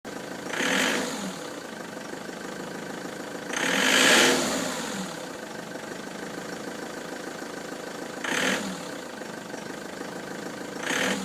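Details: Ford Transit van with codes P0149 and P1564, idling: quiet idle broken every three to four seconds by a rushing, rising swell that fades; intermittent abnormal noise, cause undetermined.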